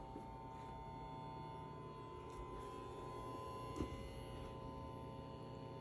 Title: New Hisense 120l10e buzzing noise